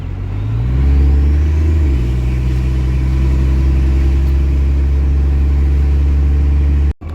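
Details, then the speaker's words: Diesel truck driving, just after torque converter lockup: deep, steady rumble rises briefly then settles into an even run with no knocks or misses; the engine is the truck's best part. "I wanna have a good enough video that shows, hey, you know, the engine runs. Like the engine's probably the best part of this truck."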